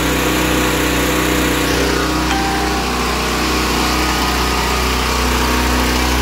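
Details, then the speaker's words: Westinghouse WGEN9500 generator, previously surging from bad gas, after draining the fuel, refilling with fresh gas and cleaning the pilot/idle jet; one even, steady drone with no rise and fall or hunting; governor settled, now runs smoothly. "we cleaned out the pilot the idle jet and now it runs pretty smooth"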